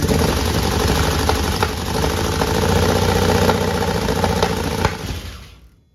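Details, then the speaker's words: 1961 Chevrolet Impala with fuel injection, first crank test after wiring grounds fixed: starter spins engine in steady chug about four per second, injectors firing and oil pressure present, but no start; owner suspects ignition timing, possibly valve adjustment. "that is definitely timing that is definitely a timing problem that could be could also be not having the valves adjusted right"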